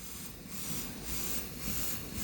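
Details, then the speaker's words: G5 ventilator on synced NIV with a test lung, built-in large leak and weight set to 1 kg: quick regular puffs about twice a second over a steady hiss. It is auto-cycling while learning the leak as baseline flow rises. "Now that there it goes, it's kind of starting to figure it out. There we go. Now you see how this baseline flow came up? It's learning the leak."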